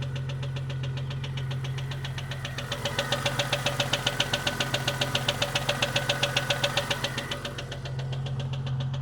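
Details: 1998 Jeep Cherokee XJ 4.0L: sharp regular top-end ticking over idle. Noise appeared overnight and persists after head removal and lifter replacement; owner says it's not rod knock or piston slap, and the exhaust sounds solid. Cause unknown.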